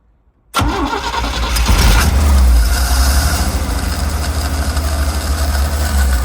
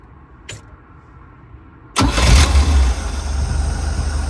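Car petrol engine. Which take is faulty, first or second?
first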